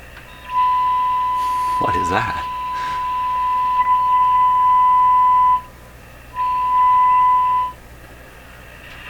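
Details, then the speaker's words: Viking Model 4516 tube radio during a wax-capacitor replacement, signal generator fed through an induction coil: a steady whistle near 1 kHz drops out and returns. Spurious tones; the owner suspects a second signal entering the mixer like another local oscillator. "stuff coming through here 1i f to other I F now we'll go up to oh my gosh history is full of junk"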